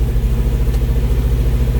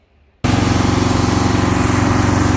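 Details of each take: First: 1971 Alfa Romeo 1750 GTV with manual transmission: a smooth, even, low-pitched idle with a regular pulse and no misfires or rattles, with idle speed now coming down; the engine runs well. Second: 1971 Alfa Romeo 1750 GTV with manual transmission, freshly started from cold: it catches at once and settles into a smooth, quick idle with no misses; the idle is high because the engine is cold and may need adjusting.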